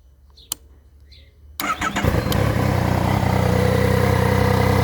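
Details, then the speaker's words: Triumph Tiger 900 GT at 19,407 km, just after its 20,000 km service (filter cleaned, spark plugs replaced): starts into a deep, hollow, throaty idle, like breathing without an air box; strange new noise, cause unconfirmed. "Ok vou ligar aqui para vocês verem esse ronco esse barulho se dá para perceber vocês me fala valeu"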